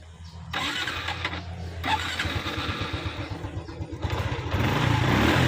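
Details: Honda Wave 110i motorcycle after a valve clearance adjustment done to cure stumbling and poor acceleration. It cranks, catches within a second and settles into a steady, even idle with no valve tick standing out.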